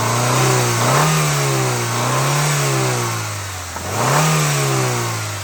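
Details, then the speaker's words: Honda Stream: at idle the engine sounds fine, but three quick blips bring in a dull tapping knock as revs climb, clearly audible whenever the throttle is pressed; bottom-end wear suspected, not confirmed. "Nah itu Ya temen-temen jelas banget kan saat RPM dinaikkan atau gas kita tekan ya itu ada suara ngelotok ya teman-teman itu sangat jelas kalau teman-teman Apakah itu bisa kedengaran"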